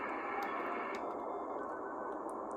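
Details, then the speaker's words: Argonaut 2 ham radio receiver, bought secondhand on eBay, first power-up in lower sideband mode: steady, even hiss with only faint ticks, no hum or crackle; normal receiver band noise. "That sounds pretty reasonable."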